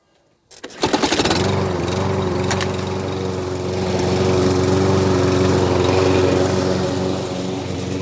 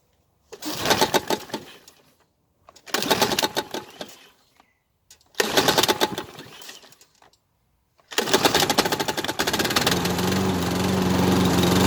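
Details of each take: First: Scrap-pile lawn mower with a small engine. It catches on the first pull and settles into an even, steady beat with no misses or knocks. Normal smooth running. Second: Mower salvaged from a scrap pile, unprepared: three pull-start bursts, then it catches and runs unevenly with a ragged, sputtering note and smoke. The owner suspects the exhaust is filled with oil and may drain it.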